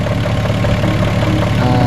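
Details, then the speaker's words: VW Jetta Mk3 after about 10-12 minutes of warm idle: light, uneven knock over the engine hum, seeming to come from up top; upper timing cover and valve cover suspected, not confirmed. "Alright, car has been running for a good 10-12 minutes and we still have a knock. You guys can hear it coming from top one."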